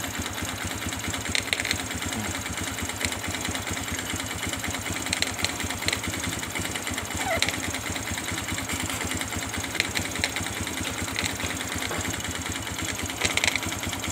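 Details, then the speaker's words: Kaze R motorcycle idling with the clutch pulled to engage gear: light rapid patter with faint sharp "krek krek" crackles every few seconds; cause unclear before disassembly. "Suaranya seperti tadi, krek krek, bila kopling saya injak ya teman-teman, mau dimasukkan itu suara krek krek."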